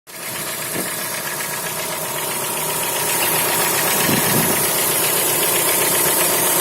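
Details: Chrysler Voyager 2.4 at idle: a fast, fairly regular metallic ticking knock, about four per second, over the engine hum; internal engine knock, cause unclear.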